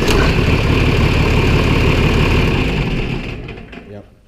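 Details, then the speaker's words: John Deere 4020 tractor after replacing the faulty starter relay solenoid (old one's contact plates suspected bad; ground wiring altered, battery wire rerouted): cranks and starts right up with a steady, even diesel rumble, no more clicking. "so I finally got to work so yeah it just um starts right up"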